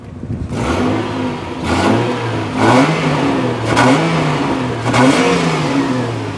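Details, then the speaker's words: Car exhaust with revs blipped up and down gives a loud, raspy, overly fruity note; it is leaking, with the big silencer blown out and needing replacement. "oh I think it'll be that big silencer there yeah delete I think that needs replacing booger yeah I think we're going to have to replace that"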